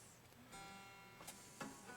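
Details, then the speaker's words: Ibanez Artcore Expressionist AG95QA guitar with new D'Addario flatwounds, 3+3 headstock: short sharp pings while tuning the G string, likely the string binding at the back of the nut slot; planned fix is relieving the nut back and lubricating the slot. "so I noticed when tuning the G string that made a popping sound ping sound and that's because it's probably binding in the back of the nut here"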